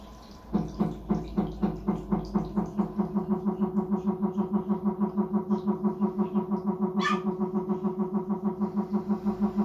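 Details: Samsung Diamond washing machine gives a loud pulsing electrical hum, about three throbs a second, during wash and won't spin; water level sensor and motor had failed.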